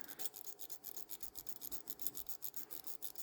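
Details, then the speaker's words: Rolex Oyster Royal, calibre 1210, case reference 6444, stopped with a broken balance staff; winding the crown gives fast, crisp clicking with no tension build-up: the mainspring is broken and slipping. "But I think the main springers broke as well. I can hear it clicking."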